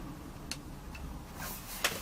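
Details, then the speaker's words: Laptop bought for 99p, loose DC power connector on the back that must be held to boot: a few sharp, irregular ticks over a quiet room as it tries to start; faulty power connector, later reaches Phoenix BIOS. "so there is definitely something wrong with the uh Power connector because I'm having to hold it like this just to uh get the thing to fire up"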